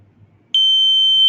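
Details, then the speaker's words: Buzzer driven from a 5 V microcontroller-style output, switching on and off every 2 seconds: clean, steady high-pitched beep starts abruptly and holds evenly; buzzer working properly. "You can hear the buzzer is turning on and off for 2 seconds, and on for 2 seconds, and off for 2 seconds, Okay."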